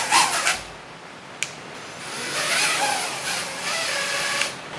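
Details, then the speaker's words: Small drone motors whine in uneven surges and stutters instead of a steady hover, twitching after the waterproofed DIY drone's third water-dunk test; water damage to the speed-controller stack, which then kept resetting and would not arm. "Is do you see that twitch? That's not supposed to happen."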